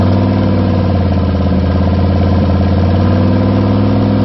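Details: First start after rebuild with new gen 4 rods and pistons, new oil pump, new cam and lifters and all new gaskets, before tuning: smooth, steady V8 idle with even deep rumble, no knocks or ticks; engine sounds healthy.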